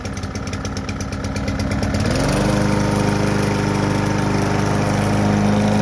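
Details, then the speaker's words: Kohler Courage XT-7 engine freshly swapped onto a push mower, blade refitted: catches after a couple of seconds and settles into a steady, even single-cylinder beat; runs well, no misses or knocks. "she runs pretty good if i do say so myself"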